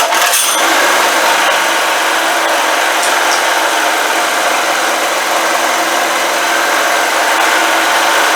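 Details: Old generator, stored about 10 years, carburetor tapped to stop a gas leak, restarted on half choke: a steady, fairly high-pitched drone holding even speed without stumbling or surging; normal running.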